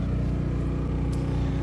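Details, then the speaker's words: Champion 4500 dual-fuel inverter generator on propane powering an RV's 30-amp service with the AC, refrigerators and microwave on, load up to 80 percent: steady, even low drone with no hunting or surging; it handles the load fine. "so I am very impressed with this generator it's great this is great"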